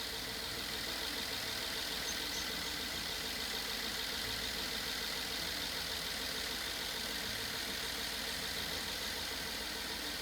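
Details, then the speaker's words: BMW F10 550i N63 V8 at first startup after rebuild and cylinder wall repair, following hydrolock from oil overfill that bent a rod, before coolant top-up: smooth, steady idle with no misfire and no knock; normal idle. "The engine's running, it's not misfiring, it doesn't make any noises, no knocking noise, and look at this."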